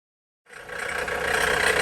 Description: Sounds of a bad alternator. Bad alternator on a 2007 Dodge Caliber.